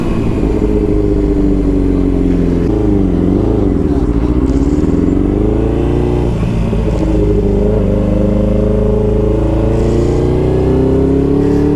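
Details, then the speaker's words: Yamaha R6 (5SL) sportbike idling poorly and struggling to pull away, needing lots of throttle with the clutch; engine note rises, sags and wavers like a misfire, no fault code; traced to a faulty ignition coil, replaced. "It's like really struggling to pull off. I'm having to give it a lot of gas with the clutch."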